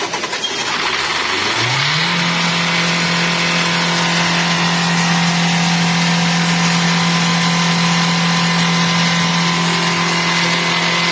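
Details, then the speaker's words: Hyundai Creta diesel that used to need a long crank before starting. After the injectors were washed and checked and the air was bled, it starts on a single crank, revs up and settles into a steady, even drone. It starts and runs normally. "Vehicle అనేది single సెల్ఫ్లో start అవుతుంది. ఇంతకుముందే long crank తీసుకొని start అవుతుంది. ఇప్పుడు single సెల్ఫ్లో vehicle అనేది start అవుతుంది."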